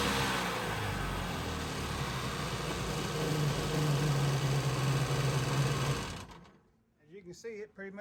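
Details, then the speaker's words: Jet ski, first start since its carburetor was flushed and oil added. It hesitated briefly, then a buzzy two-stroke note holds steady and climbs smoothly as it revs, no misses, no leaks; normal running. "yeah this not been started since I flushed a carb I put oil in there and carb and everything so it didn't want to run for a second there"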